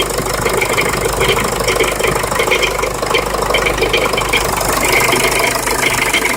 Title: Jeep liberty CRD rattle/grind noise